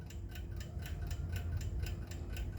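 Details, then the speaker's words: Waterbury Spasmodic alarm clock running after an unconventional repair of the balance arbor, which had worn into its cups and stopped engaging the pallet fork. Crisp, even ticks about four per second. "so at the moment this clock here is running well fantastic as you can hear it's ticking away"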